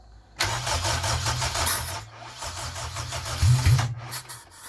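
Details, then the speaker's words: K-swapped Honda Civic EJ9 first start, puffing near the manifold: rapid cranking chug with a few catches and puffs that never pick up into an idle; fires but won't run, suspected vacuum leak or something catching. "It sounded like it was something was getting caught."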